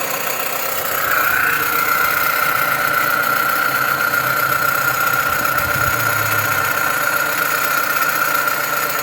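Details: Dodge Avenger/Journey or Chrysler 200 engine idling with a steady high-pitched whine; vibration felt at the alternator, not the AC compressor, pointing to a noisy alternator.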